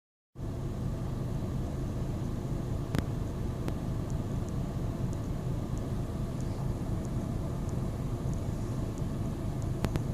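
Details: 2010 VW Golf 1.6 BlueMotion diesel with rough idle on starting: a deep, uneven rumble that pulses irregularly instead of running smooth.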